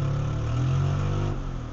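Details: Metro engine just reassembled with suspected timing problems and a loud exhaust: note sags and bogs at a light touch of throttle, then picks up and climbs; fuel seems starved on acceleration, cause not confirmed.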